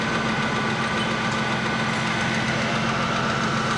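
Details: Ford Mustang after fixing a no-start (fuel pump checked) on a car that had sat a while: steady, even idle with a constant hum and no misses or surges.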